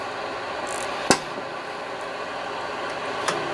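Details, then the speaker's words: Yaesu FTDX 560 on 20 meters: only a flat, steady hiss with an odd click and no signals, no receive at all, and turning the preselector makes no difference to the noise. "And we have nothing. No receive whatsoever. Also, when you turn the pre-select, I don't hear the anything changing."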